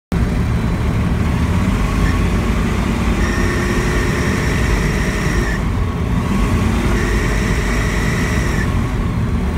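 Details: Rotax engine running steadily with a thin, high squeal coming and going for a few seconds like a slipping belt, though the Rotax has no belts; source unclear.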